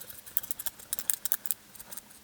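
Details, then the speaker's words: Badly corroded control board from a Yard Force robot mower: light, irregular clicks and taps as the board is tilted, like a small loose part inside. Rattle inside circuit board. "but uh why is that rattling? This board is rattling."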